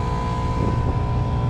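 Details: Packaged water source heat pump, the companion unit (one is R410A, one R22) left running while the other's bad Copeland compressor trips the breaker: steady, even low hum with a faint constant tone, no knocks or rattles; running normally.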